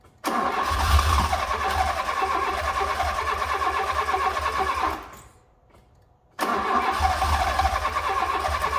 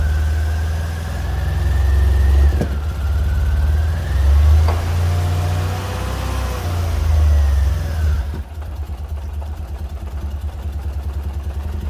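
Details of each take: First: Fiat Punto GT long unused, relays refitted; steady even starter cranking about five seconds, a pause, more cranking, turning over a bit slow and never catching; likely short of fuel, suspected not confirmed; cranks but won't start. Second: Fiat Punto GT petrol engine, refuelled after owner assumed it stopped from running out of fuel or dodgy fuel: fires, revs briefly and drops into an even, steady idle with no misses or knocks.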